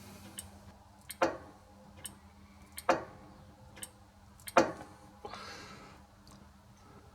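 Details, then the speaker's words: Victor lathe with new VFD, new pulley and brake drum fitted, brake band realigned onto the drum: a sharp click about every 1.7 seconds in a quiet shop as the band brake engages; the limit switch works normally. "so you can hear that limit switch coming on just as the band brake engages so that's all good"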